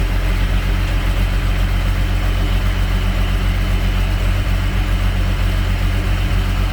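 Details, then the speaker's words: Diesel tractor at idle rises and falls loosely about twice a second; owner suspects worn governor spring or worn O-rings on spring shaft inside fuel pump. "you guys hear that surging i tell you just what that is inside of the inside of the fuel pump there's either a a spring that is wearing out and the governor is surging like that"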